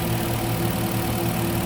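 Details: Renault/Nissan QM5 2.5 petrol idling after warm-up, following an oil, oil filter and air filter change (Kixx G1 synthetic) that cured its stalling: steady, even low hum with no knocks, misses or rattles before it is switched off; normal idle.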